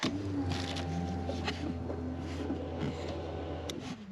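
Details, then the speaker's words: Porsche 911 (996) with a no-start from no fuel: a jumper is crimped across the fuel pump relay socket (pin 87), key in with ignition off. The pump runs immediately with a steady low hum and faint whine, suggesting the fault is the relay. "Oh, and it works straight away. I didn't even, the ignition is not even on, but the key is in. So as soon as I put the power in, yeah, I can hear it."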